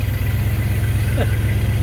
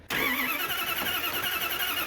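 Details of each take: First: After rewiring the ignition so it sparks while cranking, the V8 starts and settles to a deep, even idle burble with a steady pulse, no ticking or puffing from the manifold, no leaks heard; normal idle. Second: Freshly installed healthy-sounding new starter cranks steadily and fast for nearly ten seconds with no firing; carburetted engine unprimed, no ignition spark while cranking; owner suspects a disconnected or miswired ignition wire under the hood. Crank, no start.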